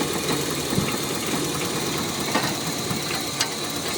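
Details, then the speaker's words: Toyota MR2 Mk3 Roadster Spyder after fitting a Walbro 255LPH fuel pump: even, steady idle with faint light ticks, no misfire or stumble, no leaks; running clean. "good right Run's nice let's have a little look no leaks here"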